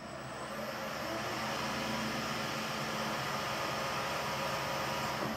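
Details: Precision Matthews PM-1440GT lathe with new Marathon E470 3 hp 230 V motor on Hitachi WJ200-022SF VFD, replacing stock motor that cogged and rattled at low rpm: steady, even whir with no knocking or gear clatter; runs smoothly in every gear.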